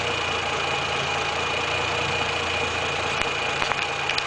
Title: weird engine noise!!